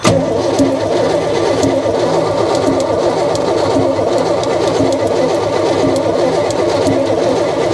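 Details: V8 in an unfinished project truck, cranking with carb open: an irregular, hesitant beat about once a second, suspected to be a valve hanging up, possibly a bent valve. Cause is not confirmed.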